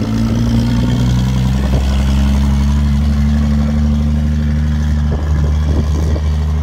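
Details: Ford XR Falcon ute petrol engine, last registered 1982, after long paddock storage, now driving: uneven deep chuffing beat with wandering revs like a steam train; running rough, carburettor tune suspected.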